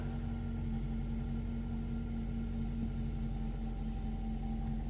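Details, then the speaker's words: 2008–12 Ford Escape/Focus/Tribute/Mariner idling after replacing the ignition switch housing that caused a no-crank, no-start fault. Low, even rumble with a steady hum and no misses or knocks: smooth, healthy idle. "Look how easy it starts. So, like I say, we fixed it."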